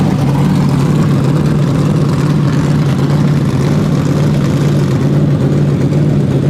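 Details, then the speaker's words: First fire-up in the dyno cell of a methanol-fuelled 427ci Dart LS Next 2 with Dart LS3 heads, a Motion solid roller cam, billet crank and rods, and twin 82/84 turbos. Fuel pressure was only 70 psi base with a small fuel leak. Loud, even, crisp lope with no misses. "but that thing's crisp boy i think should make every bit of 650 horse"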